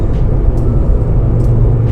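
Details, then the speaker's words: Mazda RX-8 on new Federal 595 RS-R tyres, 18-inch BBS wheels, heard in cabin while driving: steady low drone with no rhythmic growl or wobble; may sound like a bearing but is normal tyre road noise from the compound. "you might think it's the bearing but it's not it's just a tire making a lot of that noise road noise"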